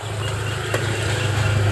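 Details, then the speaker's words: Honda Beat fuel-injected scooter that won't start by starter or kick: key on, MIL lamp lights, steady low hum with one brief click as the fuel pump primes normally. "Bunyinya mendengung. Lihat, alat ini berdengung."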